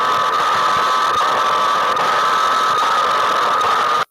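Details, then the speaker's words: Receiver with a steady hiss, thin constant whistle and faint rapid pulsing: an inside noisemaker, not atmospherics, switching interference. "When you see stuff like this is not atmospherics. This is an inside noisemaker."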